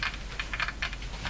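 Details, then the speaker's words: Silvertone model 6002 tube radio with low output: irregular dry crackles and pops over a low hum; a failing capacitor is suspected. "radio sounds like you know what that's probably that capacitor failing that's probably what we're hearing"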